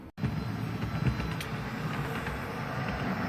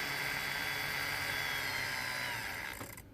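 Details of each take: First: Dapol B800 track cleaning wagon hauled by a heavy diesel, Hoover attachment after four or five laps: continuous rushing whir with low rattly rumble over wheel clatter, sounding laboured and overused; vacuum motor straining, dust basket found heavily filled. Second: Dapol B800 DCC motorized track cleaning wagon with the Hoover vacuum attachment, ramped up slowly: thin, steady high whir with no rattle, then spins down; running fine and picking up debris.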